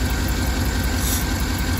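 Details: 2012 Cadillac Escalade 6.2L V8 at idle with low uneven lope, one cylinder dropping out each cycle; cylinder 7 misfire, lifters stuck off, compression below 25 psi (per service bulletin PIP 4568S, check cylinders 1, 4, 6, 7).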